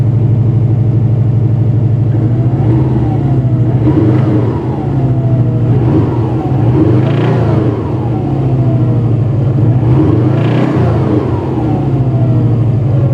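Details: Subaru EJ205 engine, cold start: revved up and down several times, a knock under the exhaust note follows revs, suspected bearing; oil pressure near 6 cold, warm previously 1.9, now 1.6–1.7; engine knock when revving.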